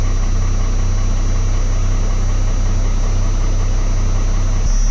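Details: 1st-gen Cummins diesel pickup idling cold at 6°C right after start, with the repaired PCM (three capacitors replaced) refitted. Grid heaters cycle post-heat. Steady, deep, even low rumble that sounds healthy.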